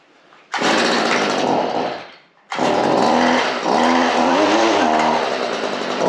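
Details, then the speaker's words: Stihl FS 55R two-stroke trimmer, primed and choked: fires, dies briefly, then restarts and holds a crisp, even buzz with no misses or rattles; runs healthy. "will it [Music] run he run right away"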